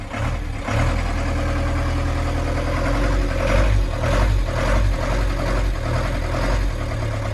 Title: 1996 Ford Transit 2.5L Diesel engine problem